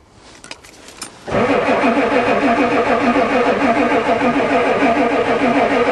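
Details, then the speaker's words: Ford diesel truck at +4 °C with a newly installed glow plug controller that never clicks, owner suspects it isn't working: steady cranking about three beats a second after briefly firing once, never catches. "it actually fired a little here we go again try again it's cranking good come on try again I can smell the diesel"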